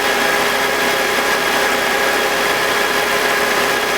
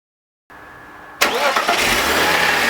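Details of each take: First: BMW E46 with M52TUB25 engine at idle, intake VANOS disconnected during a test of a suspected VANOS grinding noise (worse at startup): smooth, steady idle with no grinding and no RPM drop, a normal idle. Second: BMW E46 M52TU B25 engine, VANOS connected: cranks and catches, then harsh gritty grind over idle with RPM drop, more noticeable at startup; absent with VANOS disconnected, suspected VANOS grinding.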